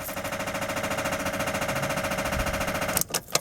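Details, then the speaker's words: 2003 Fiat Doblo van: rapid machine-gun clicking from the starter motor with no crank, after days of slow cranking and rough running; battery only a year old and recharged. Starter not at fault; poor engine earth connection suspected, resistance measured gearbox-to-battery negative. "i don't know if you can hear that clicking noise let's try and start it again the clicking noise is actually coming from the starter motor by the way"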